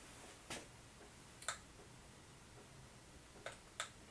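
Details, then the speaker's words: Quiet room with sharp single ticks every second or two, the drip of a leaking sink faucet, heard faintly alongside a recording monitor's running fan. "I'm wondering if you actually hear the dripping because I have to fix a sink"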